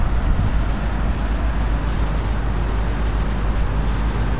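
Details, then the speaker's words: York commercial rooftop unit running full out in air conditioning mode, removing moisture: low steady even rumble with no rattles, knocks or squeals, super quiet; normal cooling operation. "taking moisture out there super quiet nice"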